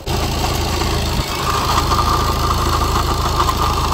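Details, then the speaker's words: Tata Vista diesel brought in for very loud noise at starting, idling: loud rough rumble with a faint steady tone near 1 kHz; water pump found failed, urgent water pump replacement advised. "నేను check చేసిన వెంటనే దీనికి water pump పోయింది urgent గా water pump మార్చుకోవాలని అయితే customer కి చెప్పేసాను."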